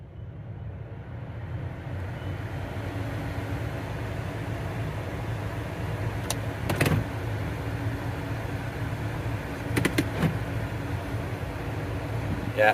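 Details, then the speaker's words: 2013 Chevy Cruze cabin blower at full speed after replacing the blower motor and clearing a rodent nest from the clogged cabin air filter: a steady, even rush of air, no longer the old jet-engine roar. "I got the blower on Full Tilt and it does not sound like a jet engine definite Improvement"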